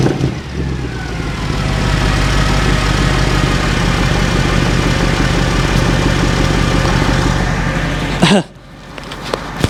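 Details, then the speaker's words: Mercedes C63 AMG V8 with completely standard exhaust, partly warmed up: very loud deep burble settling to an even idle, then revs climbing cleanly and dropping back without stumbling; healthy engine. "I hope that comes across just how insanely loud this car is. I mean, underneath, it's completely standard. There's nothing been done to the exhaust."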